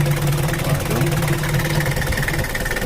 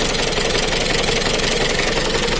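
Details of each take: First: Mitsubishi Kuda diesel (4D56) after repair of rough, limping idle with low power and oil leak, injection pump reset to standard: steady even diesel clatter at idle, no hunting or heavy knock; now sounds normal. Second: Mitsubishi Kuda diesel (4D56) idling with a harsh, clattery, limping beat. Owner complains of rough running, low power and slight overheating, with a heavy oil leak. Some valve clearances suspected too wide (50/60).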